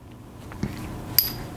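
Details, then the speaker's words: Black Gold single/two-pin bow sight with its set screw left loose: two short, bright metallic clinks as the sight rattles when the bow is shot or moved. "like that it rattles you can hear that so when you shoot it makes that sound"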